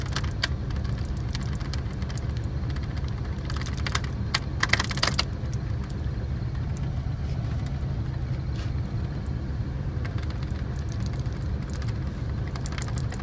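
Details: 1978 GMC Diplomat Class C motorhome after repairing a shorted dual fuel tank switch, on the right tank: low, steady rumble with light handling clicks, no stumbling or cutout; engine idles normally.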